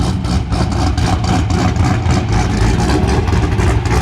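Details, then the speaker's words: LSA V8-swapped Nissan 350Z on first start-up with new combination: deep lumpy cammed idle with steady rhythmic chop, now smooth and even; previously sounded rotary-like, owner suspects from blown head gaskets. "Sounds so much better now. Oh my god. Like it actually sounds how it's supposed to sound."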